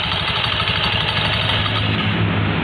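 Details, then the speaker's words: Honda Beat FI scooter at idle with the CVT cover removed: metallic jingling rattle from the rear pulley, where the clutch lining plate is loose and wobbling; fixed by shimming the plate. "jadi ini berasal dari bagian sini, bagian puli belakang itu yang kampas gardanya ada platnya itu kendor ini."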